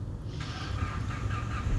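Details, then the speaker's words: 2006 Mitsubishi L200 after engine overhaul, first had check engine light and unstable rpm; loose part refitted, restarted, now idles smoothly with steady even rumble, check engine light still on until stored ECM fault cleared. "ये हमारी गाड़ी स्टार्ट हो गई है। अभी गाड़ी स्टेबल है, लेकिन लाइट इसकी फिर भी ऑफ़ नहीं हुई।"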